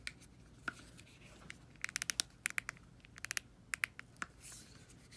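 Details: Sony WH-1000XM3 headphones: irregular sharp creaks and crackles from the left ear cup as it is squeezed and flexed; the right side does not creak.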